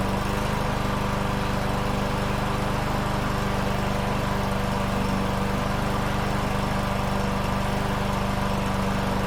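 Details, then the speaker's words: Troy-Bilt TB110 push mower with Briggs & Stratton 550EX single-cylinder engine, restarted after months sitting and fuel-system service, air filter on: steady, even putter with no misses, rpm slightly low; running properly, rpm adjustment planned. "sweet that was all it took right there uh you guys could hear the rpms are a little bit low"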